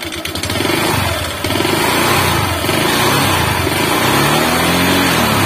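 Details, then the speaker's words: Motorcycle engine run completely out of oil, piston suspected seized, refilled with used oil: starts but revs loud and uneven with a ragged beat and harsh rattle, smoking heavily when hot; rough running after oil starvation. "Ini sudah bisa nyala. Nah tapi suaranya bosku ya, suaranya tuh kayak gini."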